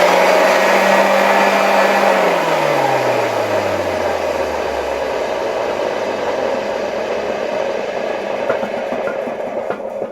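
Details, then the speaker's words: 1989 Zelmer 268.6 vacuum cleaner with a type 300 motor, run at reduced voltage through a regulator: loud, rough running that rattles and knocks, worst while coasting down after switch-off. Worn motor bearings. "Zwróćcie uwagę na to, jak jak bardzo hałasują łożyska. Zwłaszcza słychać to w momencie, jak już wyłączymy zasilanie i silnik zaczyna zwalniać."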